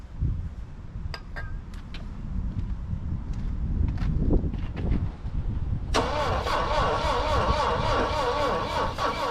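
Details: Saab Sonett III, first start after sitting since 2012, distributor found loose so timing roughly guessed: slow, uneven cranking at about two turns a second that never catches; crank no start, cause suspected not confirmed.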